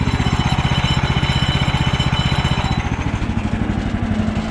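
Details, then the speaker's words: Woodland Mills HM130 portable sawmill engine: fast steady single-cylinder thump at high idle with a faint metallic ping that fades as throttle drops; centrifugal clutch engaging prematurely because idle set too high, wearing the clutch. "If you hear a ping sound, especially coming from here, that is your clutch engaging prematurely. Having that engage prematurely might sound like this."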